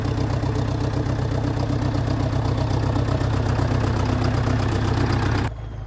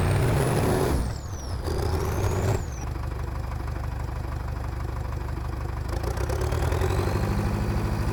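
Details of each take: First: Dresser/International Harvester TD8E bulldozer diesel after replacing fuel filters: even chug at about four beats a second, steady idle without the earlier helicopter sound; filters appear to have fixed it. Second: TD8E bulldozer diesel after topping up low transmission oil with universal tractor oil: holds a strained, labored low drone like a helicopter, struggling to raise rpm when pushing; bogging under load, cause not yet found.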